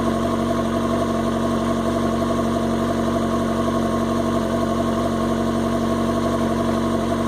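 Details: 2005 R6 motorcycle, started twice weekly but not ridden during a long layoff: four-cylinder idle with a loose, uneven pulse and wobbling beat. Owner fears the coils; cause not confirmed.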